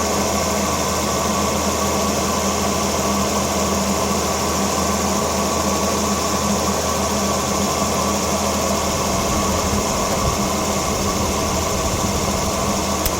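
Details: 2011 Volvo XC60 petrol engine after spark plug and coil replacement: steady, even idle with a constant hum and no knocks, stumbles or misfires.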